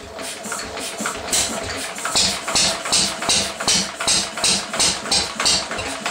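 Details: 1937 Lister D rated 2 hp, first run after many years unstarted, fires unevenly at two to three hits a second with sharp crackling pops. It is running rough and backfiring; the owner wonders about timing, cause unconfirmed.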